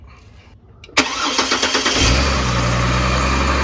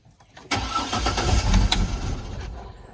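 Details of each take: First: 2004 Chevrolet Trailblazer inline-6 after replacing fuel filter previously installed backwards, system primed: brief crank, catches quickly and settles into smooth, even idle; healthy start, no misfire. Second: 2004 Chevrolet Trailblazer inline-6, fuel pump relay 41 pulled to relieve fuel pressure before filter replacement: starter cranks with a steady chug, about two and a half beats a second, but it never catches with no fuel.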